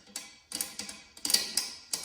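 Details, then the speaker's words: Volkswagen exhaust flex pipe removed from the car, broken inside: sharp metallic ticking bursts each time the pipe moves as loose broken inner braid rattles; a good flex pipe should make no noise. "so this is what the flex pipe should sound like nothing no it shouldn't sound like"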